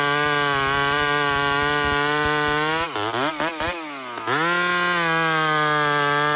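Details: Homelite chainsaw, 28 full-house stock chain, cutting wood: steady high two-stroke buzz sagging in pitch as it loads into the cut, then revving cleanly back up; normal healthy running.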